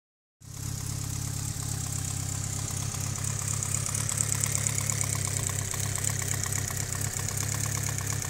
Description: I need to know if you agree. Lifter tick on the Evo 8